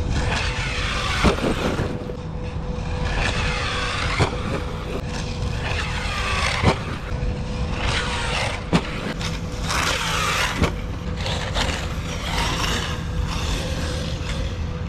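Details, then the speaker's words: ARRMA Kraton EXB RC car, third run, bashing; several sharp irregular clicks over fifteen seconds through motor whine and tyre noise; drivetrain clicking, owner suspects internals grinding or new rear diffs, unconfirmed. "stupid clicking man and i don't even want to go in there and check it out"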